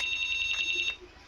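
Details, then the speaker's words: Honda keyless motorcycle anti-theft alarm, triggered by tapping the module then silenced by the new remote: shrill rapid high beeping for about a second that cuts off abruptly; remote properly connected to the module. "Sip, berarti sudah fix ya, benar remote-nya sudah bisa terkoneksi dengan modul remote-nya."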